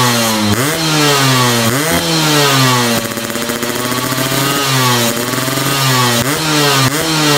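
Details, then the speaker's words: Two-stroke called Karla, with an upgraded PE 30 carburetor, changed ratio and a chrome NXL exhaust, revving up and down: a loud exhaust with a metallic rattle that the owner attributes to a noisy piston. "ya jadi kayak gitu teman-teman suara dari si Karla ini Ya gua sih masih agak keganggu dengan suara sehernya yang udah lumayan berisik"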